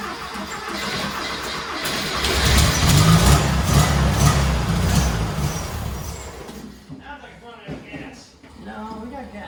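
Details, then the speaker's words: Turbo rat rod Porsche 930 on a new carburetor after sitting about eight or nine months; catches, surges and runs roughly then dies, won't hold idle; owner suspects fuel starvation, fuel pump already turned up to maximum. "okay so i've been tuning this damn thing for about two hours i got it where it's starting it's just not idling very much i think we need a better fuel pump i got my fuel pump turned up as much as it'll go it's still just it's acts like it's starving for gas"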